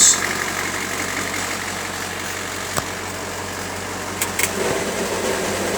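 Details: 1999 International 4700 with T444E 7.3 Powerstroke diesel, Spicer 5-speed, just after first start of the morning: steady idle with even clatter and hiss, no knocks or misfires; good oil pressure; normal idle.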